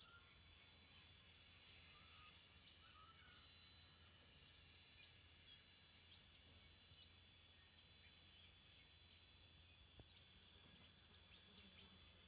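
Thin, steady high-pitched whistle held constant near 4 kHz over quiet birdsong; controller electronics squealing, cause undetermined.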